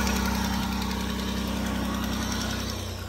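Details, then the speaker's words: 2009 Dodge Grand Caravan with new ignition block, wires, plugs and battery, at cold idle: quick, even ticking about four per second that eases as it warms. Exhaust manifold leak from a missing bolt. "so you can hear that noise it's just really loud at the start but once you get going the noise does go away"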